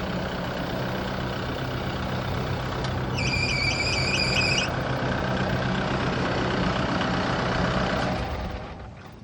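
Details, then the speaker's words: Broom tractor diesel idling during pre-trip inspection, brief high warbling chirp-squeal pulsing about four times a second before shutdown; belt squeal. "All right, I turned this off cuz I don't want to hear that belt squealing all day."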